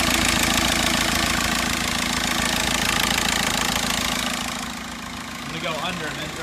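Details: 2006 VW Jetta TDI manual: harsh clattering grind and quick regular clicking as clutch pedal is pressed, pedal hard, vibrating and not reaching the floor; teardown found the clutch broken into pieces.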